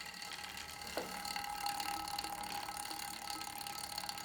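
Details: Star Trac Spinner 7070 exercise bike: fast, uneven light ticking and rattling over a thin steady whir while pedalling, suspected chain vibration; exact source unconfirmed.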